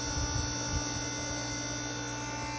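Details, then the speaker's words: Insignia countertop ice maker with a steady loud electric buzz and rough low rumble; its gearbox gears are broken so the part stops spinning, and greasing will not help. "what I found in this machine this thing this thing it was damaged broken why just because it stops spinning and it stops spinning just because the gears in this gear box broken"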